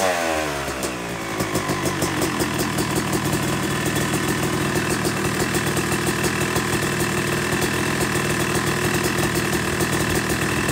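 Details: Yamaha YZ250 two-stroke motocross bike (270cc/250cc) after full engine rebuild (bottom end, transmission, bearings, clutch, power valve), second start-up after cooling, warming to about 100–125 degrees: rapid crackle catches, settles into steady idle with light blips; normal warm-up idle.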